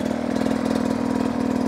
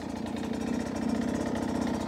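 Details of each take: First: 2023 Beta 250 RR two-stroke riding over obstacles: crisp, even pulses with a steady beat and no misses; very consistent smooth delivery and low-power control as throttle is applied. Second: Beta 250 two-stroke on stock jetting at low rpm: uneven, skipping burble instead of a smooth pull; lacks bottom-end consistency, which the rider attributes to the stock jetting.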